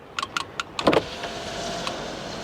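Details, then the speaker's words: 1998 Ford Explorer: a few switch clicks, then an even, smooth motor hum as the power window travels without strain; the window motor is working fine. "here we go look at that smooth functioning Windows all"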